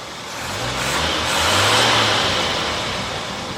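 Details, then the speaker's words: Jeep CJ 258 six-cylinder with Weber carburetor and revised vacuum lines, fully warmed up after a drive: revs swell and settle back smoothly with no popping or stumbling; slight popping when cold was far less than usual. "did did do a little topping here and there when it was cold the engine was cold but nothing like it normally does so I think that actually helped out a lot"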